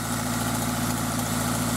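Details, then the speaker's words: Toyota MR2 Spyder with 2ZZ engine idles steadily with a fast, regular light ticking; owner says it appears cold and fades after a minute or two of driving, and suspects valve clearance; valve train ticking. "so the engine's been making that noise uh pretty much since I bought it and um what I noticed was that it would do that in when it's cold and then after I drove it for a little while really only maybe a minute or two it would smooth out and go away so I just kind of thought maybe it was a valve clearance"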